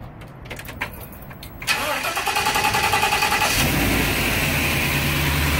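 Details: 2009 Ford E-350 5.4 V8 with a throttle body problem, no codes: quiet lead-in, then it fires at once, rises briefly and settles into a steady even idle with no misses or knocks; normal idle.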